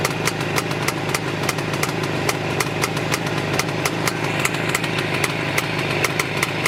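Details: Jawa 634 350 two-stroke twin at idle running badly: uneven popping with sharp cracks and stumbling rhythm as one cylinder intermittently runs irregular, an intermittent misfire and rough idle.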